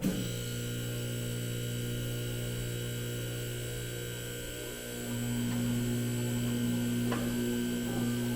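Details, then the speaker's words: Newly installed two-post lift, first start after filling just under three gallons of hydraulic oil; electric pump hum sags and surges as it self-bleeds air pockets from the lines. "you're also gonna know that it's gonna be making some weird noise when you start it up first it's gonna you're gonna see this blue level drop we actually have to fill the hydraulic system so it's gonna be self bleeding in that one"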